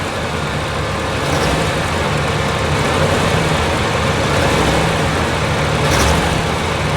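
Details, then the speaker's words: 1976 GMC Vandura 3500 motorhome V8 after new battery cables, carburetor still cold: even, steady low rumble with no misses or stumbles, a smooth normal idle. "Now, you hear how smooth that's running?"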